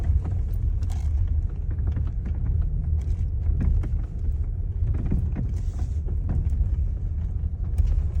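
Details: Hyundai Elantra MD while driving: deep road rumble with occasional sharp dull knocks every second or so from under the steering column; worn steering intermediate shaft joint.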